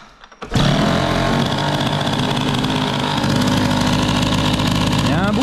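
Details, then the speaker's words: Peugeot 103 moped, air-cooled Stage6 MK2 hybrid, before fitting MVT DD CDI: raspy uneven idle with faint spitting then quick rev; exhaust leaking at a loose silencer, which was then retightened. "a un bruit que je n'aime pas du tout. J'ai comme l'impression qu'il y a une fuite au pot."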